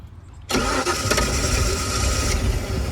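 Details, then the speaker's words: 351 PCM inboard boat engine with a previously rebuilt carburetor, after running issues were resolved; catches quickly on cranking and settles into a steady, even idle without stumbling, healthy start. "anyway all in all for what we started with I think we got a pretty good running boat"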